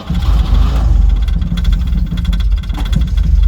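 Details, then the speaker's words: 1968 Jaguar E-type Series 1 convertible, first start after about two years of storage, choke pulled: ragged, lumpy idle not on all cylinders that stumbles and wants to die when the throttle is touched; stalls when throttle opened, steadier with more choke. "touch the throttle it absolutely wants to [Music] die not really sure we have to play around a little bit see what it likes"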